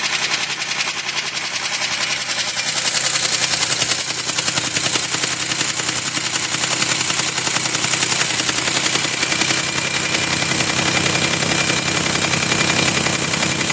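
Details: 2005 Chevy Equinox at idle after both heads were rebuilt, one cracked head welded and machined, and the head gasket replaced: a sharp, even ticking knock at about 3.5 per second, later cured by an engine tune-up additive.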